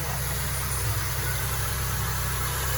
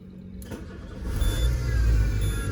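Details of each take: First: Peugeot Partner after a timing belt change, with the tensioner bearing and idler pulley bearing found faulty and replaced. Idle is smooth and even with no whine, rattle or chirp from the belt side, and the noise is gone. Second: Peugeot Partner with engine and airbag lights on, at start-up: engine catches into low rumble with faint thin whine on top, noise from the belt tensioner, pointing to a worn tensioner bearing.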